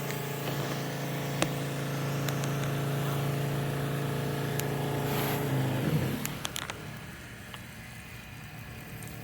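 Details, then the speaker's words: Softwash skid system pump running with water on, soap cracked open: when bleach is turned on, the steady hum stumbles and drops off prime as it cavitates from an air leak in the bleach suction line (valve, hose, banjo fitting or drop tube). "pumps cavitation you can hear it glitch off prime a little bit we're back to full power now so the issue is somewhere in the bleach line from this valve this hose or somewhere up there in the banjo fitting or the the drop tube in the tank"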